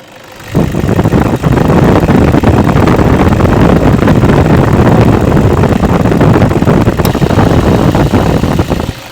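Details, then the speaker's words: 2008 Toyota Vigo 2.5 E diesel pickup at idle: steady, even diesel clatter with no misses, knocks or shaking and no smoke. It is a normal, healthy-running engine. "นี่ก็คือเสียงเครื่องยนต์คุณผู้ชมครับเสียงเครื่องดังเดินปกติไม่มีสั่นคอใดๆไม่มีสั่นเบาเดินรอบเบาไม่มีนี่เครื่องเสียงดังปกติครับ"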